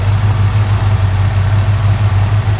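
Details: V8 engine pulled from the truck Creampuff, idling on a test stand. Temperature is holding good and oil pressure is about 52 psi. Steady, even low rumble with no knocks or misses; a healthy idle.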